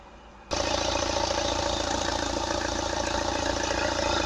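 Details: Opel Astra H 1.7 CDTI diesel, first start after turbocharger replacement (old turbo noisy above 2000 rpm and on lift-off, negative boost deviation), intercooler disconnected: engine catches and settles into steady idle with faint regular clatter, no rubbing or whistle; turbo working.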